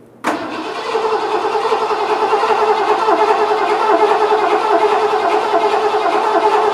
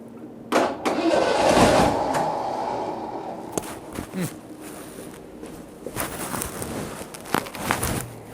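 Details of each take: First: 1986 Ford F-150 after a carburetor change, cranked without firing to get fuel up and check pressure: the starter churns at a steady, even pace for several seconds. Normal cranking. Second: 1986 Ford F-150, start attempt after a carburetor swap in cold, snowy weather, following a roadside breakdown. Short bursts of starter cranking die away without the engine picking up. It cranks but won't start; the owner suspects flooding or a fuel supply problem, unconfirmed.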